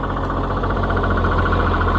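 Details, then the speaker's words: Oliver 77 tractor, first cold run after reassembly, power take-off working: a steady idle with a repeating clunk in an even rhythm. The owner doesn't know the source. "power takeoff works so we that's interesting I don't know what that clunking is"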